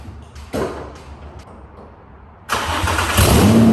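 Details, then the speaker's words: Nissan 350Z drift car with a replacement engine, started after refitting the fuel pump fuse: clunks and silence, then it fires at once into a loud steady rumbling idle. Starts and runs fine. "now we're gonna put the fuel pump fuse back in and hopefully it should just start right up. So that's back in. It's gonna be loud."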